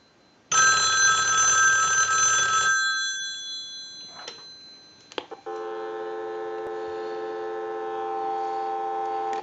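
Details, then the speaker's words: Country Line wood wall telephone on checkout, ring cycle sent from analyzer: loud clear bell ring about two seconds then silence, no buzz or rattle; ringer working properly. "now what we want to do is we want to go ahead and use the analyzer and we're going to send a ring cycle so we'll start that ring cycle"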